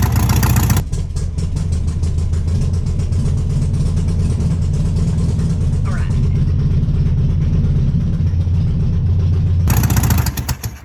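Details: 1968 VW Beetle air-cooled engine on its first start after sitting 35 years; a low uneven rumble catches and runs about nine seconds, then dies; owner suspects a gummed-up carburetor.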